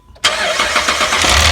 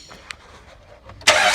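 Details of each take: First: 2010 Jeep Liberty 3.7 at startup: a loud, bright clattering rattle believed to come from a cheap aftermarket timing chain tensioner fitted at a chain replacement. The tensioner was seen moving up and down and was swapped. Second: 2010 Jeep Liberty 3.7 after replacing a bad cheap timing chain tensioner that caused rattling: run with covers off, it fires abruptly and settles into an even run with no chain rattle.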